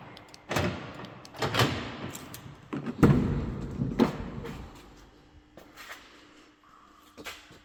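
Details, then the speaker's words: Mercedes B-Class door, lock rod had been binding because the door cover pressed it against the door. A few solid door thumps and latch clunks, each closing cleanly without bouncing back: lock latching properly. "I'm sure when I will take off this cover the door will open and close without any problems"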